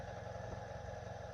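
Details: 1986 Honda Magna motorcycle idling with a steady low throb and a light, fast ticking clatter, loudest with the microphone up close; the cause is unknown.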